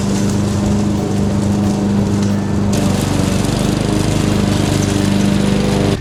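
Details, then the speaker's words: Husqvarna AWD self-propelled push mower, abandoned in a barn three years, after carburetor replacement: steady, even engine drone at constant pitch with no misses, surges or knocks; running healthy with good power. "It has a lot more power than I would thought it would have. It seems to work great, so I'm gonna call that success."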